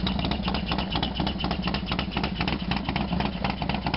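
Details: Harley FXDX V-twin on a completely cold start, not run since the day before: uneven lumpy idle, about two pulses a second, with a loud clattery edge; cause unclear.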